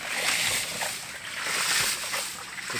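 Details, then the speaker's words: PVC/HDPE hydraulic ram pump, 3-inch drive pipe 24 m long from a drum with 50–75 cm head drop: regular watery thumps about twice a second over splashing flow, cycling strongly and working fine. "Pompa hidran PVC. Kita dengarkan suara getarannya cukup mantap."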